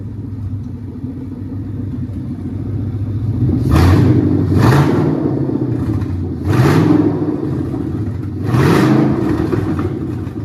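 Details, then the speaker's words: 1967 Mustang Fastback Eleanor GT500 tribute with 5.0 Coyote V8 and T5, first start after wiring and battery box install: catches and idles with a deep rumble, then four quick throttle blips climb and drop back cleanly; normal start and rev. "It's all hooked up. We're going to go ahead and crank it up and go ahead and let you hear it."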